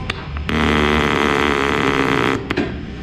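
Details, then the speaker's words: Italika TRN-150 motorcycle that won't start and has no spark, starter pressed: fast buzzing chatter for about two seconds with no cranking; starter solenoid clicking from a low battery. "Y no es de que la moto esté roncando, lo que pasa es de que esta madre tiene la batería baja."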